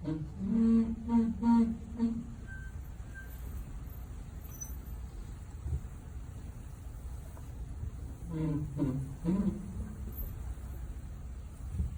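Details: 2020 Ford F-150, brake noise from the passenger-side rear wheel that started at 3,000 miles and kept getting worse; two short bursts of low droning groan with a harsh edge, separated by quiet rolling.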